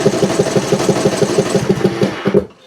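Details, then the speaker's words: Briggs Intech engine on riding mower or zero turn, in choke position but choke plate not actuating: steady starter cranking, about six compression beats a second, never fires; hard to start cold. "it's the same thing. You get kind of those hard starts or those burps out of them. Every now and again it'll start, but it's really hard to start when it's cold."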